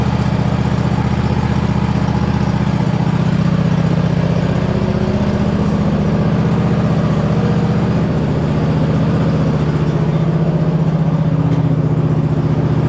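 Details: 2007 White Outdoors (MTD) CT 54 zero-turn mower, Briggs engine, sat 3-4 years, started on jumper pack and choke, driving under hydrostatic drive: steady engine drone, no whine or grinding from the hydros; normal drive.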